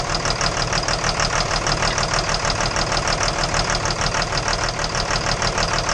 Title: Engine Knock